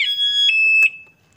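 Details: 2021 Honda Beat Deluxe scooter fitted with an HD anti-theft alarm. Remote lock pressed while running cuts the engine automatically; a loud, steady high-pitched electronic tone holds, steps lower, then stops: alarm siren working as designed.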